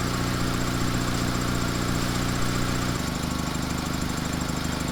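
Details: 2-door Mitsubishi Lancer CE after fuel rail and injector work, battery holding charge: steady, even idle with a soft regular pulse and no misses, knocks or whine. Charging at 14.5 V.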